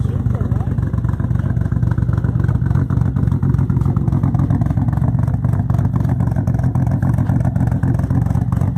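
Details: Toyota Supra with single turbo conversion, no original ECM, no mass air flow or O2 sensors, first start after almost 10 years sitting on fresh gas: loud, lumpy low rumble with uneven pulses, running rich, awaiting ECM tune.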